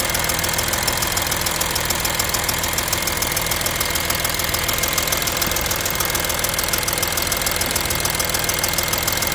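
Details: Audi A6 3.0 TDI idling with a sharp, steady metallic tick a bit over two per second from the passenger side of the engine, riding above the engine; cause still unknown.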